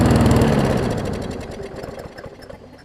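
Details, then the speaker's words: Newer Murray push mower just after new carb diaphragms: slow, even putt-putt well below mowing speed; runs clean but slow, throttle/governor spring (a bit too long) not yet set. "it's running fine it's just running slow i just need to figure out the throttle situation i think i can make the spring work"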